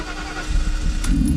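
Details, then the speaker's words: 1992 Mercedes-Benz 500SL (R129) V8 with some exhaust work: starter turns over, engine catches on second try and settles into a healthy, steady beat; normal start, sounds fabulous. "So, it does have a bit of exhaust work on here. It sounds actually fabulous."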